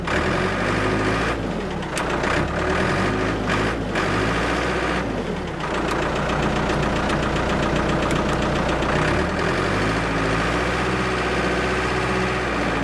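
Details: Abandoned Ford 655A backhoe diesel after revival, hydraulics working: deep steady chug dipping slightly under load, no knock or miss; engine sounds good, blow-by basically none, healthy.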